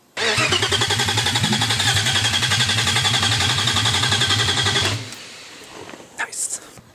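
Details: Freshly built forged 3.1-litre custom S52, no exhaust or headers fitted: loud crisp even pulsing for five seconds, no misfire or stumble, clean shutdown; running healthily.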